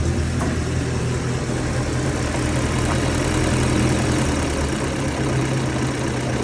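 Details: Austin 7 old four-cylinder petrol engine, first start after sitting seized since 2007, freed up and given petrol and water: low, steady idle with an even beat and no knocks or misses, running healthily.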